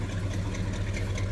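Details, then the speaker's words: 1976 C10 trailering special, original 454 big-block with 400 turbo transmission: deep steady rumble with even low beat and no skipped pulses; smooth normal idle, not missing. "dual truck sounds good i said it's not missing"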